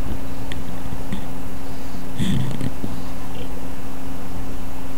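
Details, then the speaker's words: HP DV4/DV6 laptop at 100% CPU load, around 69–70°C: cooling fan ramped up, steady low hum with faint whir plus handling bumps, judged not bad; fan running fast under load, nothing harsh. "oh can you hear it ramped up but it's not bad it's not bad"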